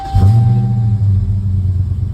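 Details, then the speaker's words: Dodge Challenger Scat Pack Shaker V8 start right after oil change: brief low oil pressure for about half a second while filter fills, then 57 PSI; engine catches and settles into steady deep even idle, no knocks. Normal cold start. "So you can see it had low oil pressure real quick there because it had to fill up the oil filter all the way, which was maybe half a second. And now it's 57 PSI right on startup."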